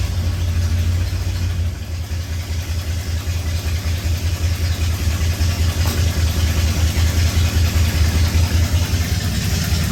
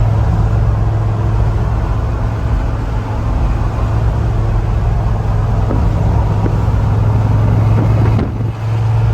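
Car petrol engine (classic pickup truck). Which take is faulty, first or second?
first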